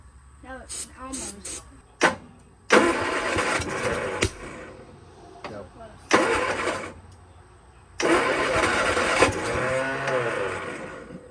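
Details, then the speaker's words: 1966 Triumph Spitfire MK II abandoned 41 years, cranked after cleaning the points and rebuilding the carbs: starter churns in several uneven bursts and never catches; no compression on number three or four, valves found apparently stuck. "so thank you no compression number three or number four"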